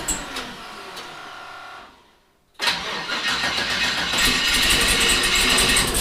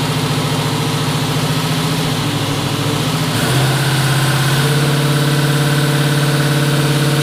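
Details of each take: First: 1974 Chevrolet Nova, twin-turbo 5.3 L33 LS swap, four injectors unplugged during misfire test: cranks nearly two seconds, pauses, catches with harsh lumpy running on four cylinders; hard start; owner suspects bad, dirty or plugged injectors. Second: Twin-turbo 5.3 L33 LS-swapped 1974 Chevrolet Nova after cleaning the fuel system and adding fresh gas for bogging: steady, smooth idle with no misses or knocks, just slightly fast; tune and throttle position sensor were changed, so the TPS is a possible cause.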